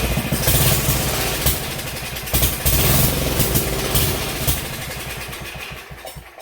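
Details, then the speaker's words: 1971 Sears Custom 10XL tractor's 10 hp single-cylinder engine running with a carburetor taken from a different 10 hp engine: an uneven, slightly hunting chug, then it fades away. The carburetor needs adjusting to suit this engine. "Needs a little bit of adjusting because I pulled this carburetor off a different engine, so they're not going to be exact, even though the other one was also 10 horse."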